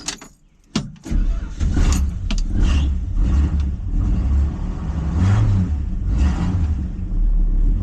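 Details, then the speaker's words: 1973 Plymouth Scamp, cold start after new muffler and tailpipe (exits rear, unpainted pipe): starter catches, settles into low, slightly uneven cold idle, wanting to stall a bit, with mellow quiet exhaust; normal cold running. "Yeah, nice and reasonable. It's so weird. You know, despite the car wanting to stall kinda because it's cold, I was so used to this thing echoing off the side of all the buildings."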